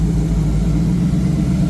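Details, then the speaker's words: 1986 Ford Mustang GT Foxbody V8 on its first start, slightly warm, after base timing was set, with an open H-pipe: deep, even burble at idle, no misses or ticks. All eight cylinders are firing, oil pressure is good and the alternator is charging. "Uh, once I went ahead and shot base timing, you could tell the engine's running a lot happier now. Uh, it sounds a lot better."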